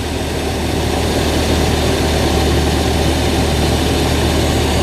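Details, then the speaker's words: Zebra 1.3 carburettor car that was hard to start, with a float needle set too tight. Loud, steady, fast even idle with no misses because the idle screw is set too high, and it is being turned down: high idle. "Kita turunkan dari idle-nya. Dari suaranya sepuyer tadi pada sudah kita kecilkan, sudah terdapat enteng."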